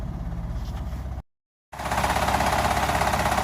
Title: Fiat Doblo 1.2 8v cold start and strange noise from the engine